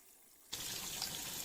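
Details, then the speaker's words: Toshiba AW-60GM top-loader washing machine after drain motor replacement with an aftermarket part, minimum setting: water rushes out suddenly with a steady, even hiss and no grinding or pump hum; normal draining. "oh it's pulling the water's pulling down there"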